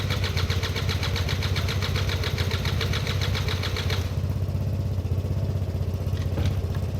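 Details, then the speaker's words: Derbi 100cc two-stroke first start attempt with a battery fitted and fresh fuel, carb not yet cleaned: catches and runs a few seconds with uneven popping about four beats a second, then fades; hard starting and rough running, owner expects a carb clean needed. "that was a real long shot guys but yeah they start up more regularly than they don't nowadays that will definitely need a carb clean"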